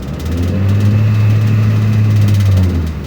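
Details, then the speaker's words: Nissan X-Trail T30 automatic in D at 3,000 rpm, steady high drone with no upshift; stuck in first gear. Engine light later came on, limiting revs to 2,500 rpm, the owner's complaint. "tingi satu terus ya teman-teman ini 3.000 RPM tidak mau pindah sama sekali ini DD nah ini gak mau pindah ya"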